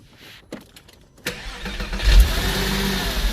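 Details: Porsche 986 Boxster, first start-up after IMS bearing replacement plus new pulleys, pump and AC compressor: a few quiet clicks, then the engine fires cleanly into a smooth, steady idle with the earlier exhaust rattle and AC compressor noise gone.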